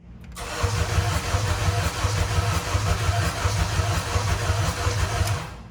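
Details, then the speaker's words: Acura TSX (CL9) after automatic-to-manual 6-speed swap with modified engine harness and new ECU; catches and runs with uneven lumpy pulse about 86 beats a minute, never settles, won't rev cleanly, suspected cause a 2004 ECU in a 2006 car, unconfirmed. "Oh no, what's going on? Doesn't run. So I hear it. yeah, I smell it. you get when we try to rev it, it doesn't rev cleanly."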